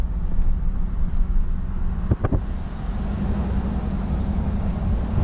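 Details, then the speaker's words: Cadillac Escalade on a test drive after locking rear axle work: smooth, even low road rumble while driving and braking, with no whine or clunk from the rear axle. The earlier noise is gone, a quiet rear differential. "i don't hear it don't hear it while breaking very good success this was victory"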